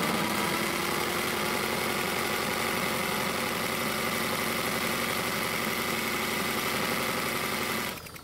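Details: Free non-running Honda walk-behind mower, missing gas cap, being run on propane from a cylinder: small single-cylinder putters steadily for about eight seconds, then abruptly dies as the gas supply drops off, stalling from fuel starvation.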